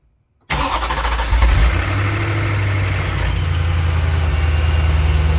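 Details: BMW E92 M3 after DIY rod bearing and engine mount replacement with about nine quarts fresh oil: fires instantly, short flare, then smooth even idle with no knocks or ticks; healthy.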